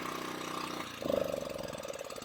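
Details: Champion 1500-watt portable gasoline generator started after sitting six years, choke on and fuel on. After a brief pitch change the small engine settles into an even, steady putter with no misses or rattles. Normal idle.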